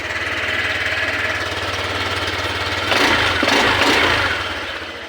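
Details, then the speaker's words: Honda Click 125 scooter with electrical power loss, temporary fix jumping the fuel pump relay wire so the pump runs with key off and dashboard dead: push-started, small single-cylinder catches into quick, even putter with a brief rev; runs normally. "Tapos push start natin. Yun. Mandar na siya, kapatid, oh."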